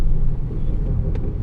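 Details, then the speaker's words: 2007 Ford F-150 5.4 V8 4WD, about 200,000 miles, on test drive around 25–30 mph: deep steady hum under road rumble, louder when steering left, quieter right; driver's side front wheel bearing hum suspected. "yeah when you do on the right side it doesn't so i'm assuming that the driver's side bearing is making that noise when you pull to the left it's gonna stop when you're putting right and create more noise"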